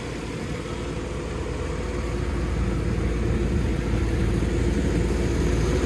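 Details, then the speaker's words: Slurry nurse tank being emptied by a pump: a steady low engine drone with slurry churning and rattling against the tank wall. Normal pump flow. "Working well though."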